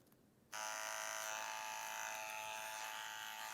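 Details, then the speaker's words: TATVIDA rotary tattoo machine: switches on to a harsh, high, raspy steady buzz far louder than a smooth rotary should be, unusable; noise acceptable at 9 V; abnormal loud buzzing. "Non, je peux pas tatouer avec ça. Hein. Mast, je tatoue pas avec. Je tatoue pas avec un truc qui fait du bruit comme ça, c'est pas possible."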